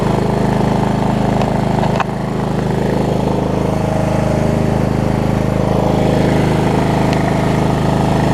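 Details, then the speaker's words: Wizard (Craftsman-type) riding mower after primer and a little gas: uneven single-cylinder putter at about two beats a second with one sharp pop around two seconds in. It is backfiring, also when shut off; cause not found. "the problem is the backfire when I turned it off either how about that"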